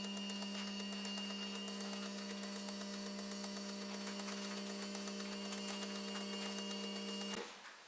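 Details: V6 turbo R5 replica fuel injectors on a test bench after ultrasonic cleaning, flows about 54 per test tube: steady pump hum with crisp, even clicking about four times a second, stopping cleanly; healthy injectors.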